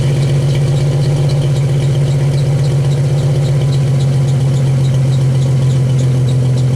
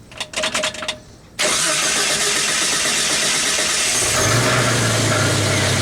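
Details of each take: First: 1991 Jeep Wrangler YJ with the catalytic converter deleted and a new two-chamber Flowmaster-style muffler: a loud, deep, steady exhaust drone with an even pulse and no rattle. Healthy, though louder than the owner wanted. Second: 1991 Jeep Wrangler YJ at idle: engine catches and settles to a busy idle with a loose metallic rattle in the exhaust from broken-up honeycomb inside the catalytic converter, before converter delete.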